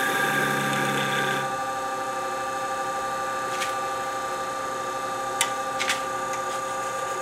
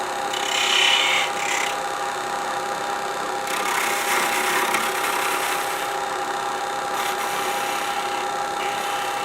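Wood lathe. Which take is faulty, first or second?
first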